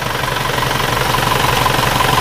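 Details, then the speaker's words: Red Isuzu Panther diesel, year 2000 or older, injectors three good and one less good, injection pump unserviced, compared with a blue Panther. Idle a bit rougher, fast even clatter with a faint rattle the speaker attributes to timing gears. "menurut pendengaran saya mesin ini suaranya agak sedikit lebih kasar daripada yang biru tapi bukan suara dari speaker tapi suaranya menurut saya etek-etek ini Sabtu Ara dari Gigi timing"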